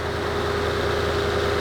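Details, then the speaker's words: Lexus LS460 idling after serpentine belt tensioner replacement (Dayco 89380 / 16620-0W130): smooth, steady even hum with no squeal, chirp or rattle from the belt-drive pulleys; pulleys now silent, normal idle. "That is the sound of success. Pulleys are silent."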